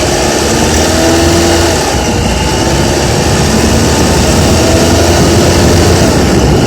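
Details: Honda Accord with K24Z3 engine held at 2200–3000 rpm: loose, uneven rattle riding over the engine hum; source undetermined.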